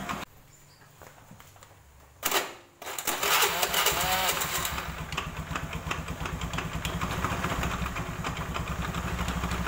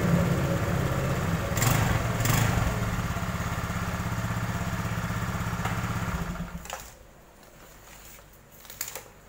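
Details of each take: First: Honda Beat automatic scooter: after starting, it settles into a steady, loose diesel-like clattering knock of about three per second. The mechanic suspects the CVT, which has not yet been confirmed. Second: Honda Beat automatic scooter that had a diesel-like "klotok" knock, test run after replacing the fan belt and crankshaft seal: steady, even thrum with no knocking, then a clean shutoff; normal running.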